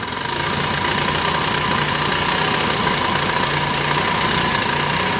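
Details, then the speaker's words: 79cc Predator single-cylinder engine, first start after rebuild, fuel line leaking, governor bypassed: busy, uneven clatter and unsteady idle; owner suspects a pinched piston ring, not confirmed. "okay i think i just pinched a ring in it so this one's probably junk now"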